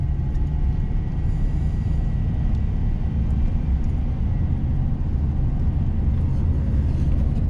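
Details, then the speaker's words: GM LS V8 truck after exhaust manifold repair brackets installed and number seven plug wire reconnected: deep, even rumble with no exhaust tick or misfire stumble; runs smooth. "turns out uh I didn't put number seven plug wire back on I just pulled a couple of plug wires out of the way just to get the bolts a little easier"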